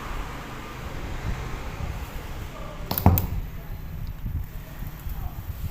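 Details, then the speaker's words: Homemade low-noise power amplifier with speaker connected: near-silent faint hiss, then one dull thump at switch-on before the hiss settles; the mylar capacitors on two lines are not yet fitted, cause of the thump not confirmed. "bisa didengar hampir tidak ada noise hanya tadi ada suara jeduk"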